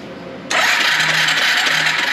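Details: Free yard-sale Suzuki 4-wheeler unrun for years, electric start with spark plug out for spark test: starter spins engine fast and freely with loud airy rush, no compression; starter, button, coil and plug spark fine.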